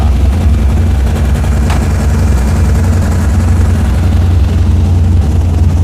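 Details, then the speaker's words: 1983 Dodge Ram 1500 custom cab, 318 V8 with headers, 4-speed manual, cold in winter: loud low steady rumble at raised high idle on choke, no misses or knocks; healthy, started instantly. "Oh, that sounds great. Starts instantly. Choke too. works. Choke works. Yeah, it's on high idle right now, but it's cold."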